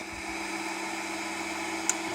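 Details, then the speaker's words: Monoprice MP Select Mini 3D printer: steady motor hum with one sharp click as the bed travels, occurring at a certain bed position and matching waves in the print; click seems to come from underneath the bed, cause not confirmed. "clicks right there, and again. It just keeps clicking like that. And it sounds like it's coming from underneath the bed."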